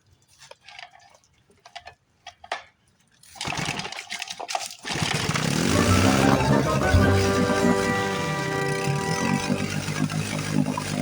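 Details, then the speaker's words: Old outboard motor stored 30 years in a scrapyard, first run on a temporary water tank after carburetor rebuild, points polished, new spark plugs and a wrong-length carb rod corrected; catches and runs steadily. Normal running. "goes. Well, that's a good sign."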